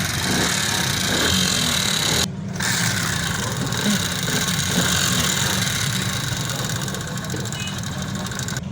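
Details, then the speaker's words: Honda CD 70 motorcycle, 2022 model, at idle before head and cylinder teardown: loose, uneven tapping about four times a second, valve train clatter that persists after tappet adjustment, attributed to a worn camshaft. "तो दोस्तों देखा आपने इसके अंदर कितनी आवाजें आ रही है हेड और सिलेंडर के अंदर हमने इस आवाज की वजह से इसका हेड और सिलेंडर खोलना है"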